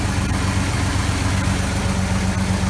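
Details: 1980 Chevrolet C-10 Scottsdale, 4.1L 205 cid inline-six, after oil pan gasket, water pump, thermostat and fan clutch replacement: even steady idle, low regular beat, no knocks or rubbing; running normally.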